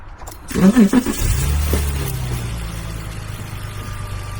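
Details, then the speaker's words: BMW E46 330Ci convertible after replacing the cracked, rusty number five coil pack that caused a misfire: engine fires and settles into a steady, even low idle with no stumble or skip. Running smoothly. "So, idling smoothly, no issues."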